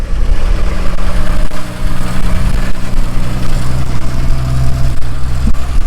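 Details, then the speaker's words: 1963 Ford Falcon Futura with Cherry Bomb exhaust, first drive in 18 years: loud, deep exhaust at a steady but fast idle with no settling; idle set too high and needs lowering. "yeah we're gonna have to drop that down some"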